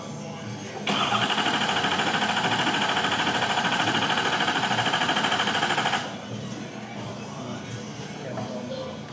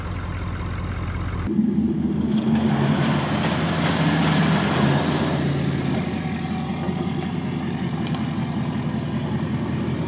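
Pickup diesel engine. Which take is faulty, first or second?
first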